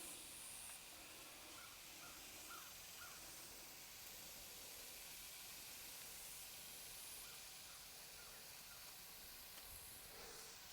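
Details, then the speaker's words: Farm tractor tire with a puncture, aired up and being soapy-water tested before plugging: a steady, thin hiss of escaping air from the hole under quiet outdoor sounds; tire puncture air leak. "so now that we got it aired up we're going to take the soapy water we're going to find this leag I can hear it oh there it is right there"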